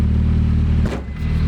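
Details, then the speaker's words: Turbo Miata drift car idling after exhaust work and test-drive prep, still pretty loud; loud, steady low idle with one brief passing noise, even beat, sounds pretty healthy — normal idle. "Nice little idle. She sounds pretty healthy."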